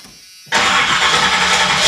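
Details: 1986 Chevy Suburban C20 with 454 big block V8, cold start after flexplate repair and new high-torque mini starter: quiet, then starter catches and engine fires at once into a steady, even run, no grinding or clunking.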